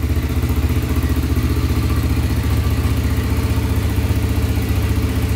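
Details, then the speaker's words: Honda 300EX quad after rebuild for heavy smoking, first run: steady even single-cylinder thumping at idle about 2.5 beats per second, no tapping or knock, smoke clearing, sounds healthy and quiet. "that sounds pretty good no tapping noise at all man it's running great so far no smoke"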